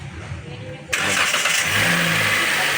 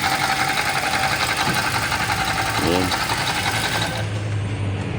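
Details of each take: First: Toyota Rush petrol engine started with the drive belt removed to isolate a noise: smooth, even idle with no squeal, chirp or grinding. The noise went away this way, and the water pump is suspected and will be replaced. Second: Toyota Rush idling with a gritty, whirring rumble until shutdown; with the drive belt removed and pulleys spun one by one, the noise was traced to the water pump bearing.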